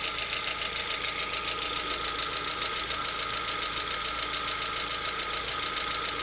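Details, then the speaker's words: Lada Vesta, 64,000 km, partly warm around 50 °C: sharp, regular tapping about twice a second over smooth idle; engine knock absent cold and at operating temperature, cause unclear. "По мере прогрева проходит. То есть не совсем прогрелся, градусов 50 где-то."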